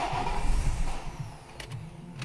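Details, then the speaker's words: Nissan X-Trail T31 diesel with EDC16 after a used ECU was programmed with an Autel IM608, running with the air filter and mass airflow sensor off: catches quickly, settles into a steady low idle with a brief rev; normal start. "So that's it. All done. Starts, but the air filter's off, so mass sensor's off."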